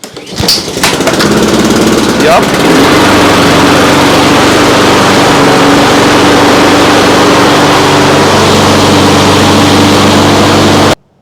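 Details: Trash-picked Honda HRX217 (HRX217TDA) mower, circa 2005–2006, after correcting a wrongly assembled choke linkage and replacing fuel line: catches on the first pull, settles into a smooth even drone for eight seconds, then cuts off; healthy.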